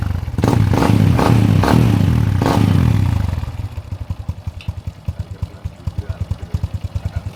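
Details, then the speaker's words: Honda Revo Absolute after replacing the cam chain (keteng) and tensioner roller: a few throttle blips, then an even, quick idle putter of about ten beats a second with no rattle; healthy idle. "Oke, sepeda motornya udah hidup, udah mantap."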